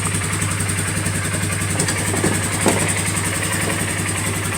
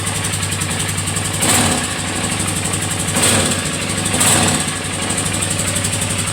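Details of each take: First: 2018–2019 Polaris Sportsman 450 ATV after cushioning tape was added near the gas tank to stop a knocking rattle: even low idle pulse with no rattle or knock; the fix worked and the engine sounds normal. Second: Polaris Sportsman 450 at idle: rough, busy idle with a light rattle-knock under the engine and a few brief revs; loose piece at the air box/gas tank area knocking.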